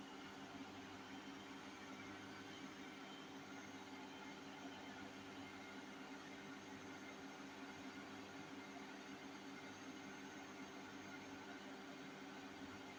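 Steady loud roar with a low rumbling undertone through the high-speed spin, the classic sound of worn drum bearings.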